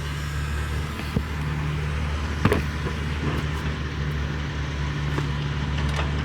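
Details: 2024 CAT 289D3 skid steer diesel with earlier crank-no-start, after electric lift pump refilled the fuel system: catches and settles into a steady, deep, even idle with no misses or knocks; running healthy.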